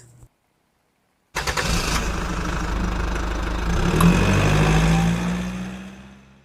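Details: Mitsubishi Mirage G4 idling after start with no check engine light: uneven, slightly lumpy beat about four pulses a second; intermittent engine misfire at idle.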